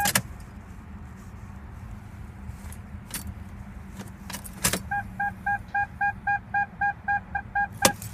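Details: 2002 Toyota Tacoma 2.7 automatic with a four-year-old battery, previously starting fine with no check engine lights: key jingles, then a fast even beep about twice a second, no starter click, no cranking. No-start, cause unclear.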